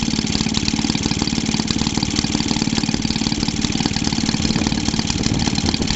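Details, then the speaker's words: Maytag Model 72D washing-machine two-stroke engine, recently hard to start, running on a fuel-oil mix with extra oil: sharp uneven pops about four a second. The owner is unsure whether this popping and banging is normal for it. "Popping and banning, but oh well. I don't know what she used to sound like before I owned it, so if this is what she used to run like, then let me know if you ever saw this one running."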